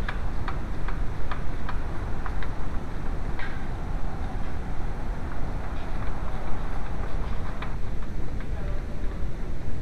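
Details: VW A2 1.8L: light, steady ticking over a smooth, even idle hum; noisy worn timing belt tensioner.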